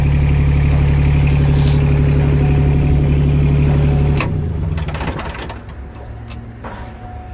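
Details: Yanmar YB121U mini excavator, used Japanese import: small diesel ticks over at an even idle with no misses or knocks, then winds down cleanly at shutdown; healthy.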